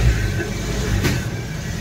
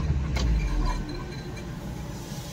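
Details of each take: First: Suzuki Baleno after a bent silencer touching the body was straightened to a 1-inch gap: clean smooth rev, steady low exhaust note, no buzz or rattle underneath; normal revving. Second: Suzuki Baleno at idle and under throttle, noise also at starting: low engine rumble with an irregular scraping rub as the engine vibrates, from the exhaust silencer underneath touching the body, possibly knocked on the road.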